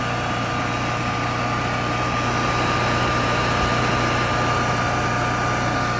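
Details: 2008 Kohler 12RES 12,000 W home generator, 380 hours, after tightening extremely loose carburetor bolts that let air in and caused surging, power pulsing and backfiring: constant, even drone with no surging or pulsing, holding steady healthy speed.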